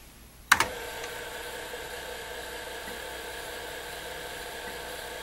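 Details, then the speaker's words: TRS-80 Model III formatting a 3.5-inch external floppy under TRSDOS, double density single sided 40 tracks; a click, then a steady whir with faint ticks as the head steps slowly; formats normally with no flawed tracks. "we can see it format the drive is live I can hear it stepping and it's not the fastest in the world"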